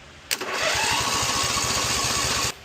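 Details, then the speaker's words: Husqvarna riding mower with no battery, starter jumped directly past a suspected bad solenoid; quick even cranking about two seconds with no firing, starter spins fine but engine appears to get no fuel, cranks but won't start. "Alright, she's cranking, sounds pretty good, but sounds like she's not getting any fuel."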